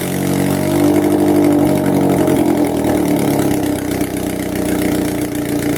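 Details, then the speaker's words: Car #92 running with the exhaust manifold removed during manifold work: loud raw bark with harsh rasp at idle and light revs, exhausting straight out of the head ports. "what's the harm and see what it sounds like with no head or with another little manifold on"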